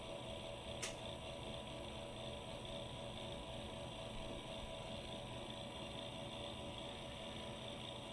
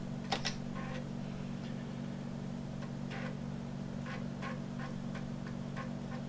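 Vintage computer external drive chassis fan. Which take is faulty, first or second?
first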